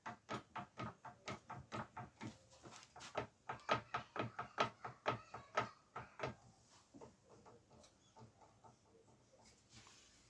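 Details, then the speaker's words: Specialized S-Works M5 FSR full-suspension mountain bike, suspension worked by hand. Rhythmic squeaky creaks, about two a second: worn suspension pivot bearings. "yeah there's definitely issues with bearings on this"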